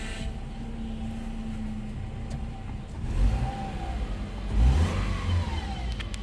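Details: Power steering whine on a 2007 Subaru Impreza: steady low hum at idle with a thin tone above that rises with each rev; power steering suspected, not confirmed.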